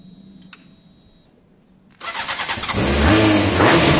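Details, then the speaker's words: Honda CBR600F4i after a choke fix, started cold on choke with a weak, already-low battery: it is quiet until the engine catches at once, then rises into a smooth, even, climbing rev; a normal, healthy cold start. "all right there you go I love it when a plan comes together"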